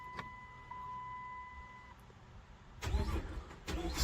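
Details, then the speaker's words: Key turned to crank: dash chime, then about 16 seconds of near silence before the starter finally engages; long delay before starting, mechanic suspects the ignition or a module, not confirmed. "Guys, I'm up to 16 seconds and the damn thing still haven't started yet."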